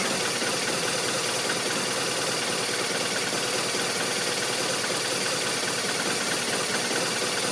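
Boxer twin idling with an uneven, lumpy beat and a hissy, clattery top end; the idle isn't settling smoothly.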